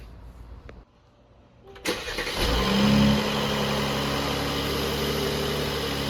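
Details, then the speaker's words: 2019 Mercedes-AMG C43 after spark plug and air filter change: starter spins briefly, engine catches cleanly with quick flare, settles into smooth even idle; starts and idles normally. "Our engine sounds healthy. Our spark plugs are changed. Our air filters are changed."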